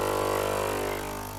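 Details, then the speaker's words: Philips LatteGo espresso machine (probably 5400 series), brewing an Americano after fixing error 11 and three blinking LEDs by replacing the temperature sensor: a steady droning pump hum that slowly fades, brewing normally. "Listen, the coffee is brewing. As for its quality, all the adjustments are required and so on."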